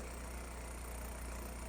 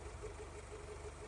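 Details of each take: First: Toyota AE86 Corolla 4AGE, warm idle at about 1,000 rpm during throttle end-stop screw adjustment. Steady, even low drone with no misses or knocks, set slightly high. Owner wants to back the screw off further. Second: Toyota AE86 Corolla 4AGE after adjusting the throttle end-stop screw: quiet, even low hum at about 900 rpm with a steady beat and no misses or hunting. A settled warm idle, now correctly set.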